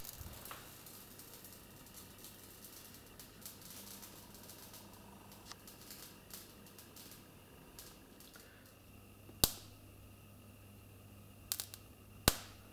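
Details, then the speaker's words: Simulated short circuit on a mock-up long line with a lamp in series, wire ends touching: quiet hum broken by sharp irregular snapping cracks while the lamp flickers; typical arcing crackle used to locate hidden wiring shorts. "Вот я имитировал короткое замыкание. Характерный треск слышно. При этом лампочка мигает."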